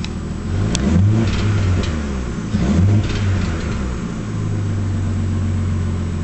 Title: Nissan Skyline (Misfiring & Backfiring)